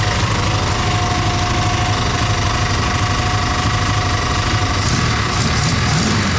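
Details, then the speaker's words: Dodge Charger 440 big-block V8 with a crushed oil pan: a rough low thrum with an uneven knocking clatter, confirmed by feeling the pan, as the crankshaft strikes the oil pan or the oil pickup tube. "So, the crankshaft is hitting the oil pan or the crankshaft is hitting the pickup tube."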